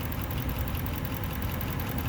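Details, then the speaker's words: Lexus LS400 at about 242,000 miles, hood open at idle: smooth low rumble with light, quick tapping, worst on one side of the engine; top-end tap, cause needs further checking. "alright so with the hood open you can see a you can hear the tapping noise particularly bad over here"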